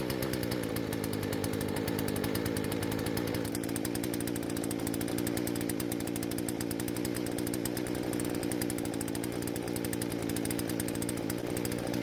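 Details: Husqvarna chainsaw that wouldn't start, after repair and carb screws reset: crisp high buzzing rev holding steady under load while cutting, no bogging or stalling; now working as it should.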